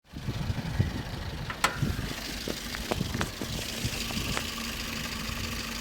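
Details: Toyota Vitz 1SZ-FE engine at idle: uneven, sharp ticking knocks over a steady hum, a diesel-like clatter; the owner says it periodically fades and then returns, and the cause is not yet known.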